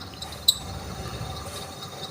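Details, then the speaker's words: Showcase display fridge: steady, shrill high-pitched squeal over a low hum from a dry, worn fan motor rubbing; noisy fan motor squeal. "Bunyinya melengking seperti ini, teman-teman. Anda bisa mendengarnya dengan jelas, suaranya berisik."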